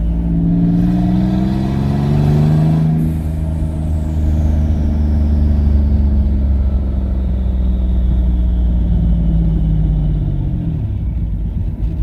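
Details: Twin-turbo V6 Mustang with new DW 340lph fuel pump, on a drive: revs rise and fall cleanly, keeps running smoothly when throttle lifts (the other car died then), no stumble or stall; running normally.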